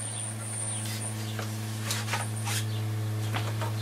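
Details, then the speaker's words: 1960s Dynatron Nomad TP11 radio powered at 12 V on first test: loud steady low hum with buzzy overtones; owner suspects power supply capacitors or insufficient supply voltage. "Quite a loud humming noise. Could just be because we haven't got enough power on it yet. That don't sound good, does it?"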